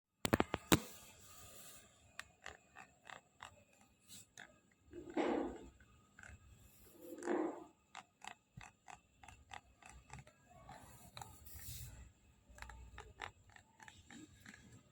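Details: Newly purchased iPad Air 5 clicks and creaks when its back is pressed; hollow space in the rear panel, appeared 5-8 days after purchase; repairer said all Air 5 units have this and it can't be repaired.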